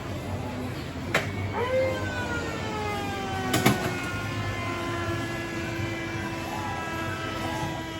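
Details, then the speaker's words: Gottlieb System 3 pinball machine: clicks then gliding, falling electronic tones settling into a low whistle, a screech from the MA-1629 audio board fixed by replacing all ten 10uF capacitors. "so this particular machine was making a weird screeching sound"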